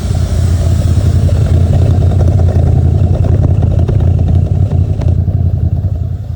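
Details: C4 Corvette with no cooling errors: deep V8 burble that lopes and stumbles unevenly with some clatter before fading; rough idle, cause not identified.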